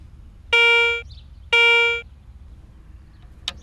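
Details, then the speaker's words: Garrett ACE 250 metal detector in all-metal mode, coin passed across search coil: two steady mid-pitched beeps, about half a second each, one second apart; high-conductivity coin alert tone. "Now, listen to the sounds made by various common objects as they are brought across your search coil. A coin."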